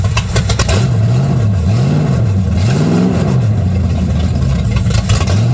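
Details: 1937 Dodge Brothers truck with a Holley 650 carb whose bowl is sealed with a modified gasket, no leaks: deep, even note rising and falling through repeated throttle blips, without misfires; normal running and revving.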